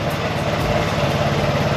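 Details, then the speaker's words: Occasionally used Vespa scooter after replacing a three-year-old battery with a HEOMAITO 6MF7L and cleaning a corroded ground connector back to bare metal: steady, even single-cylinder putter at idle with no misses or knocks; normal idle. "A fresh battery and a clean connection, now this Vespa is [music] ready to ride again."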